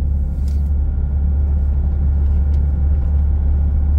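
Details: Toyota Hilux 2.5 with 284,000 km, driving at 50 km/h after the service: an even, steady low rumble with no beat, shudder or thump. The whole truck previously vibrated at 50 km/h; the driveline now sounds smooth.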